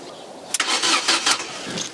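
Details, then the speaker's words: Ford Mondeo Mk2 being revived, first start attempt on jump pack: a few short starter bursts with no firing and no fuel pump buzz beforehand; pump not priming despite being connected, cranks but won't start. "we should really be having uh Buzzy pump sounds at this point shouldn't we"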